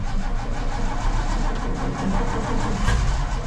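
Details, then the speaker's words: Ford F250 being started after the carb bowl was filled with a squirt bottle; it catches roughly with an uneven low rumble and struggles to settle. Hard start from a suspected fuel delivery issue, possibly flooded. "I am pretty well certain we have a fuel delivery issue so I filled the bowl um I have my little fuel under there squirt bottle"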